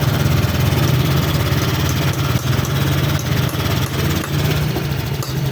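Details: Honda Click 125 scooter after CKP sensor replacement, magneto cleaning and stable TPS reading, coolant not yet fitted: single-cylinder putters at a steady even idle, no knocking or rattles, running properly.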